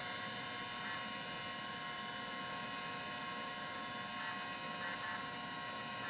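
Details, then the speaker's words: Mac 512k GCC HyperDrive 10 MFM hard drive spin-up on power cycle after fixing an open resistor in the supplementary power supply; quiet, steady high whine with a soft even hum, spinning up smoothly and healthy. "I think that was all that was keeping this hard drive from working in the first place was that open resistor on that supplementary power supply"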